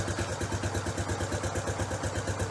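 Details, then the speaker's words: Warm Honda CT Trail 90 after carburetor idle-mixture tuning, air cleaner on, kick-started without choke. A slow, even single-cylinder putter with no misses: a healthy idle that is correctly set. "I'm just gonna start it up and uh let you hear the idol the way it's supposed to be"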